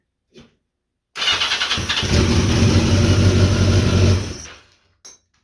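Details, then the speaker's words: 1982 Yamaha XJ650 after adding a temporary new ground to bypass the 40-year-old ground cable and charging the battery: brief starter whir, then the four-cylinder fires and runs evenly for a couple of seconds; clean start, bad ground fixed. "so bad ground battery kind of sucked too um so basically been boiling the battery on the charger for a while and with that extra ground it works"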